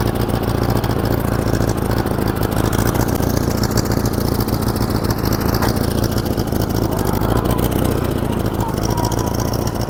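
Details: 1947 Farmall Cub with a replacement engine, running with a steady chug that stumbles now and then; one cylinder missing from a stuck valve.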